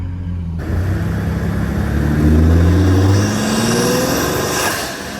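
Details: 2020 Ford F-150 EcoBoost, microphone under the hood while driving, accelerating through gears: steady climbing engine note with a light rising turbo whistle, nothing rattling; clean, healthy intake sound.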